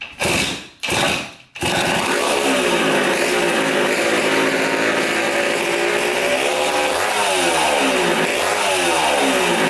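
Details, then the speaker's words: 1980 Honda CR80 two-stroke barn-find dirt bike, exhaust pipe just refitted with spring washers; after a few hard kicks it catches and runs, crackling and blipping, very loud and raspy from the pipe; still just as loud, no longer leaking at the head. "just as loud but uh looks a little better at least it's not just coming out of the the head"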